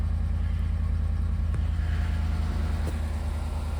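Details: 2014-2018 GMC Sierra 1500 V8 idling with a deep, lumpy uneven chuff about three times a second: cylinder 5 misfire, code P0305, from a failed ignition coil, with flashing check engine light.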